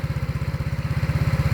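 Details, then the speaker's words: Yamaha Mio scooter with freshly rebuilt engine, started first press: quick even single-cylinder thump about seventeen beats a second, no misses or knocks; seller says steady, quiet, no smoke, no whine. Normal idle. "ส่วนเครื่องยนต์ครับผมเครื่องยนต์ก็นิ่งมากครับเงียบเงียบแล้วก็นิ่งครับไม่มีควันครับไม่มีหอน"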